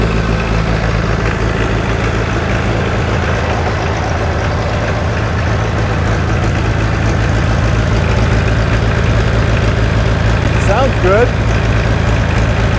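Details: John Deere 1010 diesel, first run after full engine rebuild, still smoking as expected with new rings not yet seated: deep, even chug at about three and a half beats a second with no knocks or misses; runs healthy.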